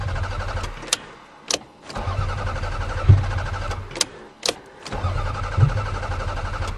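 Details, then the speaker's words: Toyota Camry, snowy cold start. Repeated cranking bursts with pauses that nearly catch but never fire, and no fuel pump sound is heard; crank no-start, fuel pump failure suspected but not confirmed. "I don't hear the fuel pump uh-oh oh no uh-oh we have fuel pump failure"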